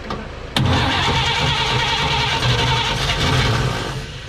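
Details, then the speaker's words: 1954 Chevrolet 3100 pickup, engine rebuilt then sat ~15–17 years in a chicken coop; cranking on a hot battery with starting fluid, choke open, no fuel system: sharp catch then uneven churning and sputtering, almost firing but won't run. "Oh, it's trying. Keep going."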